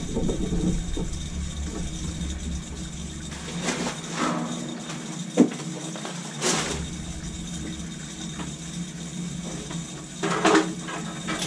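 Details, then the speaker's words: Crown hydronic boiler, no heat at start of heating season: purging second-floor zone with hose into bucket, irregular crackling and gurgling bursts with rushing water, a lot of trapped air in the heating pipes. "show the air coming out put the hose right in the bucket the air bubbles don't lie okay the crackling is air a lot of air"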